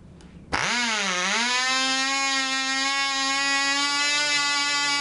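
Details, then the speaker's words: Black Widow mouse racer glow engine, 24% nitromethane, 5x3 prop, later run after a run with loose screws that probably foamed the fuel: fires instantly, pitch dips then holds a clean steady high scream, about twice as loud; runs better. "that cigs about twice as loud and I swear I can hear the wind off the prop so it runs better"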